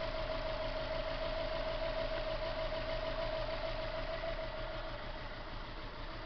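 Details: Subaru EJ22T rough idle under about 750 rpm with an uneven lumpy beat and a stumble every few firings; unplugging cylinder 1 changes nothing, so cylinder 1 is misfiring.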